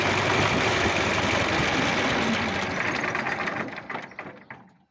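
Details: D-65 diesel engine: loud rough running with a steady knock about three per second that fades as it shuts down; knocking in the engine, injection pump suspected, not confirmed.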